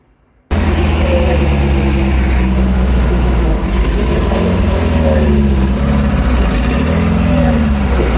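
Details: Dune buggy after the plug behind its misfire was found. A steady, deep engine drone with wind and rattle pulls evenly on all four cylinders with no misfire, running normally, though the throttle is sticking.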